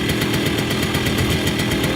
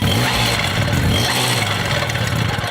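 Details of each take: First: Moped two-stroke after about 30 seconds of warm-up, choke then turned off: fast, even putter that stays on without struggling or stuttering, a normal warm idle ready to ride. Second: Cold moped, scooter or motorcycle engine with choke turned off too soon: raspy, uneven revving that stumbles and gurgles instead of climbing cleanly; choke should be reactivated and engine warmed another 30 seconds.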